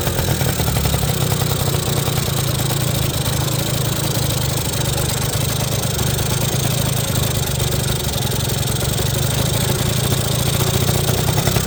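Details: 1980 Suzuki FS50 scooter, roadside find sitting an unknown time, run on oil-heavy fuel mix: small two-stroke buzzing at a steady, even idle with no misses or knocks; runs clean, though the carburetor could use a little tuning.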